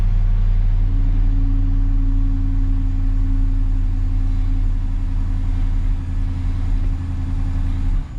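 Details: 2011 Dodge Charger after fuel pump replacement, started after priming takes a couple of tries: steady even low idle rumble with no misses, ticks or knocks; runs smoothly and healthy.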